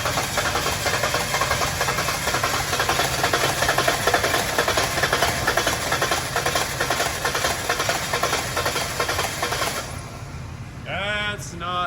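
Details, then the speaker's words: One-owner Ford Ranger, shop said needs engine, oil found overfilled: engine runs ragged with fast uneven clatter and shaky rhythm; running badly, spark plugs and wires to be pulled next, cause not confirmed. "She's not sounding good, guys. That's not sounding good at all."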